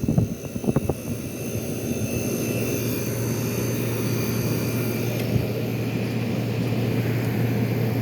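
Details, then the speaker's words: 1973 GM Frigidaire 11,600 BTU air conditioner, heavily corroded, first power-up: fan rush, then a steady low hum as the compressor kicks in smooth and even, blowing ice cold; compressor starts and runs normally. "everything sounds good the compressor sounds happy"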